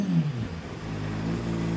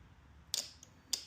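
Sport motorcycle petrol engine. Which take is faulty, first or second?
second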